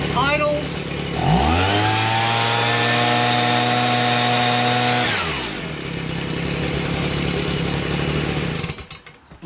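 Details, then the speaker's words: Stihl BG55 two-stroke leaf blower after carburetor, trigger, fuel line and air filter base replacement and carb adjustment: catches quickly, revs to a clean steady high buzz, drops to smooth idle; normal running. "pretty well i adjusted a little bit but i'm gonna leave well enough alone this is good enough to sell"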